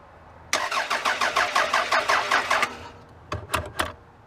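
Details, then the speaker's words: 1999 Toyota Solara, cranked with something sprayed into the intake: starter turns engine evenly about three beats a second for two seconds, never catches; crank no-start, owner suspects missing ignition. "well she didn't go you got to wonder i mean what else could be missing we may not have ignition on the motor side here"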